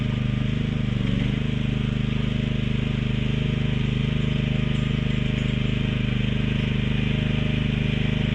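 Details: Mini excavator with pull start, repaired after being bought broken and then sitting about 3 weeks, oil and hydraulic fluid still to be checked; small engine putters at an even beat of about two pulses a second, no misses or knocks, running pretty good.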